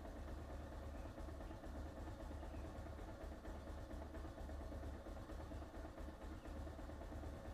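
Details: Bajaj Pulsar 220F BS4 at steady, even low idle around a thousand rpm during cold-start warm-up, no knocks or misses; owner notes only a slight needle-related problem.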